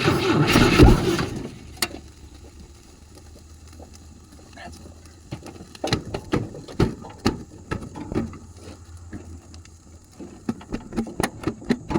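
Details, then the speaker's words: 1972 Volvo 145 with no carburettor fitted, cylinders soaked with acetone, ATF and penetrant, alternator seized: a brief burst on cranking, then weak irregular pops and sputters with no steady idle. It barely runs. "But it did try to run, not very well without carburation, so I'm not really sure."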